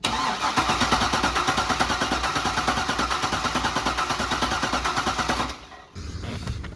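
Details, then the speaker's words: Supercharged C5 Corvette Z06, revived after over three years in storage with an installed BCM/key module: steady cranking about three pulses a second for five seconds, no firing; injectors not pulsing, suspected BCM-key communication fault, VATS off. "có vẻ như vì bất kỳ lý do gì mà kim phun nhiên liệu không hoạt động, có thể có lỗi giao tiếp với tổ hợp phím BCM mà chúng tôi đã cài đặt"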